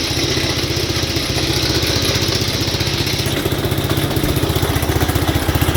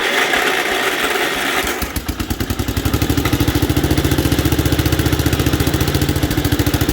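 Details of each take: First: 1967 Gravely 430 sat outside for years, after clearing debris from the ignition points, running while testing drive: steady single-cylinder run about four beats a second, even firing; engine good, transmission has no forward or reverse in high. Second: 1967 Gravely 430, sat outside for years, running on choke and throttle after first firing: catches after cranking, then fast, uneven, lumpy beat with wavering firing; rough running from debris against the ignition points.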